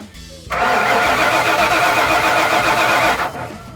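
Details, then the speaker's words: 1996 Ford F250 4x4 with the 460 V8 (OBD1), suspected fuel pump issue: even cranking at about four turns a second for nearly three seconds, never catches. Absolutely no fuel pressure even after switching tanks; fuses were checked OK. "still nothing now we checked all our fuses yesterday so we know it's not a fuse"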